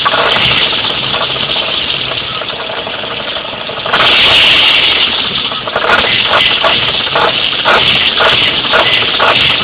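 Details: Jeep Cherokee at idle, heard loudest on the driver's side: loud uneven rattling knock, a few hits a second, that sounded like a bad rod bearing; it fades above 1000 rpm and sometimes returns under light load. Cause was loose, finger-tight flexplate-to-torque converter bolts.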